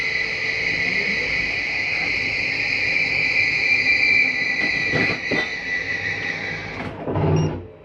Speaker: Slide 2 in. You hear that little grinding noise at the end? It's not actual grinding. That's the slide mechanism just telling itself, don't go in any further.